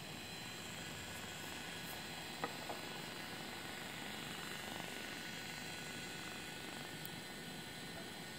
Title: Phantom 3 Loud Fan